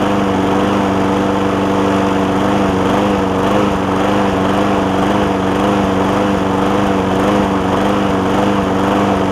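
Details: John Deere JA60 push mower after stuck-valve fix, air filter refitted: buzz rising and sagging about twice a second; fuel-starved surge, debris in a jet or intake air leak suspected.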